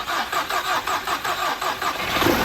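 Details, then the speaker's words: 2011 Volkswagen CC first start after work, battery 12.1 V dropping to about 11.3 V while cranking with a booster connected: slow, labouring crank at four or five strokes a second, starter dragging; hard cranking from low battery voltage. "it's got 12.1 volts now it's down to 113 try to get it okay stop there we go hold on it's going hit [Laughter] it trying Needs Some More Voltage"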